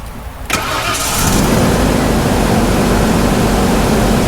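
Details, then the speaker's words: OBS Ford truck with new plugs and wires, at start and under throttle: catches then runs with uneven lumpy idle, sputter and slight stumble; rough start and idle hesitation, owner suspects the idle control valve, possibly fuel pressure regulator or a bad injector. "there it goes you can see it has like a little hesitation and when you give it some throttle oh you can see the wobble it has like a little hesitation right here so that kind of has me thinking it could be the idle control you know"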